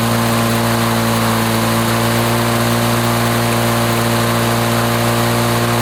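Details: 1980s Lawn-Boy two-stroke mower that wouldn't run after running out of fuel, test-run after service: steady, loud buzzing drone at 3480 rpm with no misses, surging or knocks; runs smooth and healthy.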